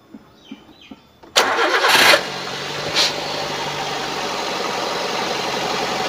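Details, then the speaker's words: 2013 Daihatsu Gran Max 1.3 petrol at idle after oil check shows no overheat signs: cranks, catches cleanly and settles into a smooth, even idle with no stumble or miss; engine sounds healthy. "nah ini untuk kondisi stasioner suaranya masih oke normal-normal aja tidak ada ciri-ciri harus turun mesin atau tidak ada ciri-ciri mesin bermasalah kondisi mesin juga tidak pincang suaranya langsam masih bagus"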